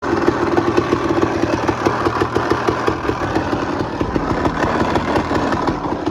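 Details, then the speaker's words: 2001 Honda CR250 two-stroke at idle: a fast, irregular rattling tick rides over the engine with the clutch engaged and disappears when the clutch is pulled, indicating a worn clutch basket, which was inspected. "pull the clutch and the noise goes away. So, basket's the issue. I've got a new used basket. Um, yeah, if you hear like a and it goes away with the clutch, it's the basket."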